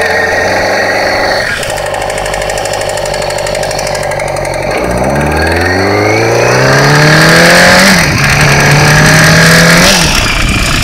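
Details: 2008 Yamaha R6R riding: whining, knocking rattle rising and falling with rpm, disappears when clutch pulled in; drivetrain noise, cause not yet pinned down.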